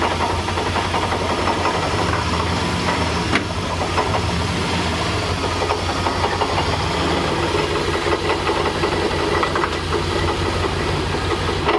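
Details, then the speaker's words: 1999 Dodge Ram 5.9L V8, almost 300,000 miles, harmonic balancer broke apart with the outer ring spinning loose: rough idle with a heavy rattling knock and shudder on every turn, major vibration. Broken harmonic balancer, before replacement. "lright, so from the bottom looking up, this is the harmonic balancer. That is not supposed to do that."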